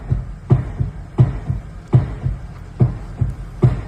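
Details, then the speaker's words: 2008 Mercedes-Benz ML550, steering wheel worked: dull dry knocks roughly every half second to second, from an oil-soaked worn rubber steering bushing; steering clunk from worn rubber bushing. "apenas movemos la dirección el vehículo da un golpe seco esto es un ml 550 del año 2008"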